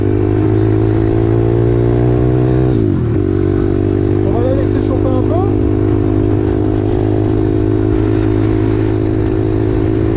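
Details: Home-prepped 140 YX pit bike engine with rebuilt cylinder head and long transmission, ridden on a road test: strong, even engine note, a brief dip at a gear change near three seconds, then pulls cleanly. Healthy under load.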